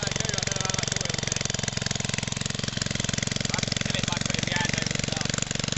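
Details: 1969 single-cylinder stationary engine, about one-half to two horsepower, with magneto, revived after sitting for ages: slow, steady chuffing beat of three to four pulses a second, running evenly.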